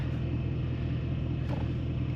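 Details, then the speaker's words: Silverado after a motor swap that had been running a tad rough; codes dropped from nine to three (evap vent solenoid, camshaft position sensor). Low, even idle rumble with no stumble or misfire now sounds way better: normal idle. "sounds this sounds way better"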